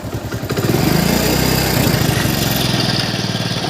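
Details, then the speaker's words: Hero Passion Plus single-cylinder motorcycle after tappet (valve clearance) adjustment to cure a loud ticking noise: revs up and settles with an even, steady beat and no top-end ticking; engine now smooth. "Setting करने के बाद देखो engine का sound होता है एकदम smooth हो चुका हुआ"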